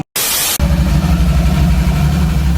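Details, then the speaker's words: Supercharged 3800 engine swapped into a 1988 Pontiac Fiero-based F355 replica, first test start: after short cranking it runs with a heavy, lumpy low-end rattle; no oil pressure, rod or crank knock. "my worst fears were realized there was no oil pressure the distinctive sound of rod or crank knock basic engine death the rattles were horrific"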